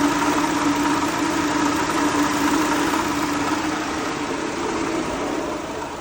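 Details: 2007 Honda Accord idling with a light, uneven rattle over a steady hum; diagnosed as the water pump, which was replaced.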